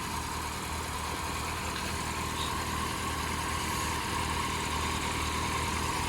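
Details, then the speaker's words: Peugeot RCZ idling while warming up, with the water pump not driven: steady, even idle with a smooth hum and no ticking, squeal or chirp; sounds very different than before, when a big-end rattle was suspected. "But it certainly sounds a lot different now than what it."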